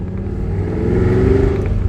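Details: 2006 Pontiac GTO V8 with newly installed Pacesetter headers and mid pipes, cold startup and drive: deep even rumble swelling smoothly with revs, no ticks, puffs or rattles; healthy, leak-free exhaust.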